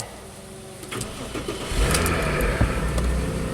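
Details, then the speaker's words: 2004 Audi A6 wagon, 3.0 L V6, about 110,000 miles, with MAF, fuel-trim and misfire codes: cranks briefly, catches cleanly and settles into a steady even idle with no misfires. "no misfires awesome I like it"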